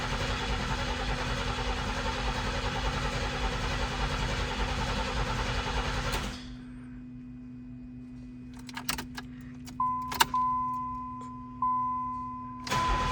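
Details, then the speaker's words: 1990 Pontiac 6000 SE AWD, sitting 20+ years, engine just reassembled with old fuel injectors and intake gaskets not replaced: starter whirs steadily about six seconds then stops, never catching; no fuel pressure, owner suspects something left unplugged. "All right, maybe I forgot to plug something in. No fuel pressure again. Interesting."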